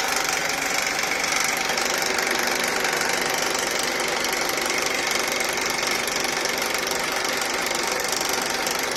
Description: Video that shows a rattling noise on Honda Accord K24 engine